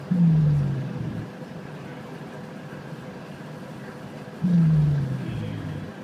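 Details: Inside SBS Bus 197, two deep groans sliding down in pitch about four seconds apart over a low bus rumble, heard from the back, like snoring; source unknown.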